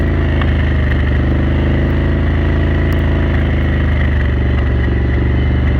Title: Renegade 1000 pop, misfire at cruise